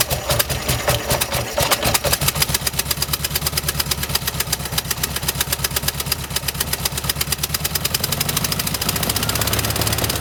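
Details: 1971 VW bus with a new carburetor and timing about 4 degrees out: uneven, lumpy idle with irregular pulses and a stumbling rhythm, like a misfire. Owner suspects plugs and wires; cause not confirmed.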